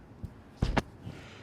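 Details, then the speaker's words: EZGO gas golf cart, battery at 10.6 V dipping to 10.5 V on the throttle: two sharp solenoid clicks but the cart doesn't move. The customer had already fitted a new solenoid; a click does not prove the solenoid is good. "Now, so that tells me the solenoid is engaging. Now, the customer said I put a new solenoid on it, it still clicks, but it don't move. And just because that thing clicks does not mean it's good."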